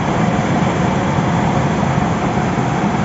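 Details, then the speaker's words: Trane 5-ton packaged unit fan motor tested on direct 220 V supply, fan only, drawing 5.8 A against a 7.4 A rating: steady even motor hum with smooth airflow rush, no knocks, scrapes or wobble; running normally. "Ganyan lang po ang mag-testing ng motor ng bagong modelong train package 5 tons."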